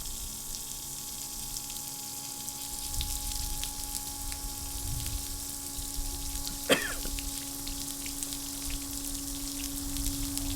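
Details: CM30 intercooler circulation pump for a Mercedes SLK32, bench bucket flow test (about 8.5 gpm): steady motor hum under rushing water, even and unbroken throughout; pump runs normally.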